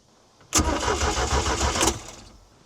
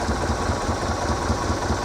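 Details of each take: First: 1978 Sylvan boat with 2.5-liter inline-four MerCruiser 120: two bursts of steady starter cranking, about three and a half turns a second, with no catch; the engine cranks but won't fire, and the owner suspects no spark again. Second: 1978 Sylvan boat, 2.5 liter Iron Duke engine with new aftermarket alternator: steady, even low idle without knocks or misses, normal; charging at 13.49 volts at idle.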